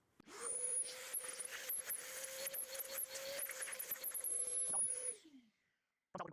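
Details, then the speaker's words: PEMEDOR 9 gallon dual-cyclone dust extractor running with nothing on the hose end: loud steady high-pitched whistle over the rushing air, gone when the end is fitted; owner wonders if something needed tightening, cause unconfirmed. "I don't know if you can hear that whistle, but when there's nothing on the end of this, it is whistling something fierce, and I don't know if maybe that needed to be tightened down."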